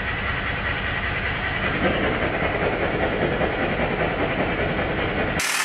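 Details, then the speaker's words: Stuart Models S50 model steam engine after valve timing was set as well as it can be: steady, evenly spaced exhaust chuffs, a little over two per second, with no lopsided beat; valve timing sounds right. "with the timing set now to where I would say it's as good as it's going to get I cannot fault"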